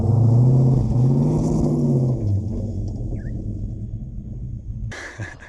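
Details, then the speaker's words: Ford XF Falcon ute, 351 Cleveland V8, 4-speed Toploader, nearly empty fuel: deep burble revs to about 3000 rpm, hangs without pulling higher, drops back; not reaching full rpm, timing suspected. "all right so there's definitely timing needs to be done I'm getting about 3000 RPM and as I said before it's running basically on empty so it's not getting full RPM"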